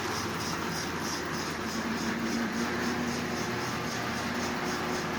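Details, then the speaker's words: Lionel Sound of Power mechanical tender behind a model train locomotive, repaired with a dollar-store rubber band replacing the original belt. Steady motor hum with an even, quick pulse of about four per second from wheels and gears, smooth and unlabored: running really well. "Anyway, it's up and running. It's actually running really, really well, as you can see."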